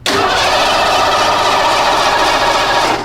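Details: Ford Bronco with EEC-IV ignition and a distributor replaced weeks earlier, cranked key-on with a jump starter: the starter spins the engine evenly for about three seconds and it never fires; no spark at the tester, fuel smell present.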